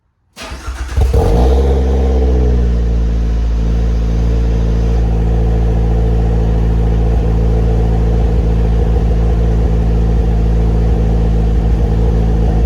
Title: Cylinder 3 misfire, probably an exhaust valve.